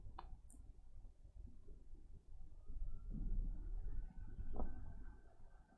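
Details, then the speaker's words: Toshiba Satellite C55 laptop with no POST, running on charger without battery: very dim power light, no display, fan repeatedly ramps up then down, never settling; a corrupted BIOS chip causes the power-cycling loop and was fixed by reprogramming. "we have a very dim power light and fan noise again i'll give it some time in case it's ram training sounds like it's doing exactly the same thing with the fan ramping up and then down again"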